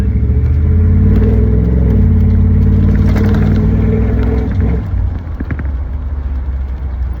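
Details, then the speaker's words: Owner's daily-driven Vortec V8 truck under way: a deep smooth even rumble that eases off as the throttle closes, no ticks or rattles, a healthy exhaust note. "This has got to be one of the best sounding Vortex I think I have ever heard."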